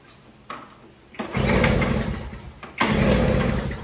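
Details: Toro CCR3000GTS snowblower (5 hp Suzuki engine) restarted with primer and choke after being run dry for storage: it fires, runs ragged about a second and dies, then catches briefly again on residual carburetor fuel.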